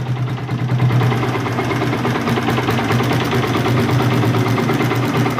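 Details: Motorcycle engine fitted with a BRT T2 racing camshaft, run with a loose valve clearance: a steady, even idle with only a faint light tick under the firing; the valvetrain sounds smooth and healthy.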